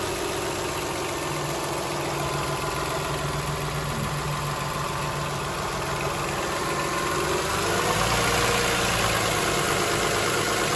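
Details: 2007 Toyota Highlander 3MZ-FE V6 at steady idle: fairly even light tapping, nearly four per second, over the engine hum; rattle source unclear, owner wonders about an exhaust leak.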